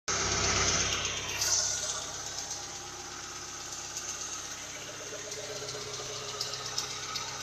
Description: Don't know what noise is making the ticking...